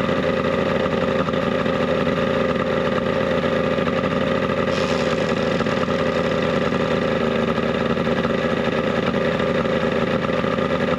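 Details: 70HP two-stroke Mercury outboard on a 1967 boat, carbs cleaned, slightly warm. Smooth, constant drone with an even firing rhythm and no knocks; sounds healthy.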